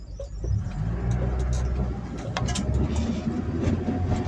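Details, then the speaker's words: Mk3 Ford Cortina on uprated engine mounts, driving slowly: low engine drone with irregular light rattles and ticks, absent when stationary; owner suspects the prop shaft U-joint mount. "sounds to me like that is the um amount for the U-joint on the prop shaft that's what it sounds like I can't think of anything else and it could be yeah I don't like that noise"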